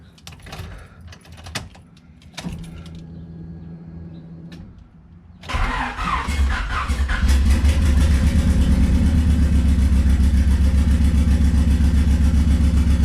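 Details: Swapped Honda D15B2 engine in an EG coupe after fitting new spark plugs: cranks, catches, then lumpy uneven stumbling idle; misfire persists, traced to stuck valves in the old cylinder head, later replaced.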